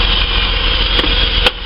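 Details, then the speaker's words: Holden VS Commodore after spark plug change, warming up: idle previously surged fast and back down, now steady and stable, couple of brief background knocks; owner hopes plugs were the cause. "loads more stable the idle speeds actually nice and stable"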